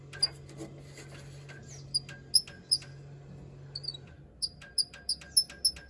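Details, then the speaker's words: HZ Holden being race-prepped, noise persists with headlight bezel removed: sharp high chirps, irregular then about three a second; a metal tab rubbing the front bumper bracket, fixed by bending the tab down. "all right I took the headlight bezel off still makes the noise but I have found what's causing it so if I look under the front of the car it's a little bit of metal here is Robin on the front bumper bracket right there"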